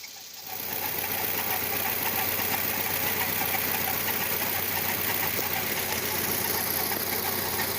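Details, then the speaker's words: VW Gol G6 idling, noise started after timing belt replacement: steady, fairly even tick about three times a second near the belt/pulley area, exact source not identified; ticking noise at idle. "O carro tá com um barulhinho aí que eu não consigo identificar onde é. Isso é na correia, isso é de polia aí, ó."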